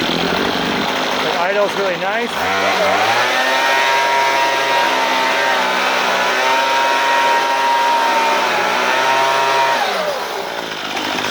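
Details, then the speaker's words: Troy-Bilt string trimmer after the carburetor mixture screw was turned half a turn counterclockwise to cure bogging: a high, steady buzz that climbs cleanly to full speed and holds without bogging. "so now you can hear what it sounds like now I got full power on this"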